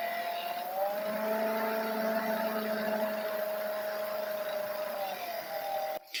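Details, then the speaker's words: Old laptop cooling fan running loud at one fixed pitch, never ramping up or down, stuck at a single speed; owner says it used to be even louder and has varied over the years. "And no, that's not it spinning the fan up and down. That's a singular speed. It just gets stuck."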